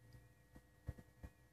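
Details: 1996 BMW E38 740i, engine off with key in position 2: faint steady electrical buzz and a few soft thumps from the idle control valve; normal, getting louder as the valve wears.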